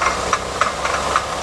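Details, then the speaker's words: 2008 Honda Odyssey, about 170,000 miles, idling in gear but not moving; a sharp clunk repeats about four times a second and the wheel doesn't turn, caused by a broken inner axle joint bearing. "ball okay that's why it doesn't not engage it on the bearing that you join you know"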